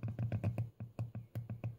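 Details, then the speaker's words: 2006 Karl Storz SCB thermoflator 26432020 teardown: its voice-coil variable analog valve, normally PWM-driven, is hand-pulsed at 12 V, giving short speaker-like low buzzing bursts of about eight a second; working normally. "and moves a little bit so it sounds exactly like a speaker and that is what it is we have a coil a voice coil that moves this one I think this is some of the more impressive types of pumps yeah a voice coil speaker pumpy thingy definitely cool"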